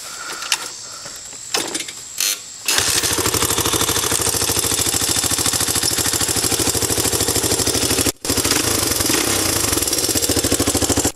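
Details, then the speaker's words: Honda ATC 200X three-wheeler, open-sounding loud exhaust, started and revved: crisp single-cylinder beat fires right up, holds even and rises cleanly with each throttle blip; healthy engine. "This thing sounds like a beast."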